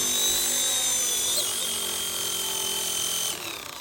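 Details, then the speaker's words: RC ERA C190 Airbus H145 RC helicopter flown before repair: high, strained, gritty whine that drops in pitch as the rotor slows, with erratic flight and heavy vibration upsetting the gyro; damaged main gear meshing roughly. "You hear that? Very erratic. Lots of vibrations to the point that it's not staying stable. And you can hear the You can hear the the gear."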